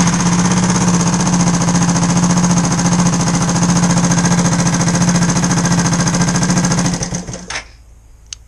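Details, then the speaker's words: Engine runs evenly after the fuel pump primes, then cuts out and dies after about seven seconds when the ignition power feed wire is moved; a hardened failed joint in that wire is suspected, either a broken connection or shorting on another wire. "As soon as I move that wire, I think that's either a broken connection or it's probably shorting on another wire."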